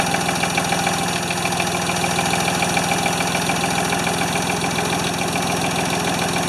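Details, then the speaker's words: Free Ford 2600 tractor on a restart attempt with plug wires popping off: a steady low chug at about 3.5 beats a second with a slightly ragged edge. Fuel delivery issue, running lean, not feeding enough fuel. "definitely have fuel delivery issues it's just not it's not feeding enough fuel"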